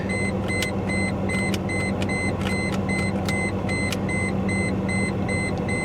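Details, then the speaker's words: Mercedes S420 W140, jump-started, idle: uneven lumpy V8 with irregular pops, misfiring badly, under a warning chime beeping about twice a second. "oh she's misfiring bad uh oh come on clean up old girl clean up please"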